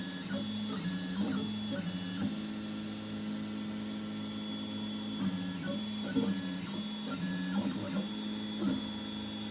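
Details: 3D printer extruder with a Goliath hot end (Fibre steam HGX setup), printing with the first layer not sped up. Even stepper whir with tones stepping up and down as moves change, no clicking or skipping; extruder running smoothly and healthy.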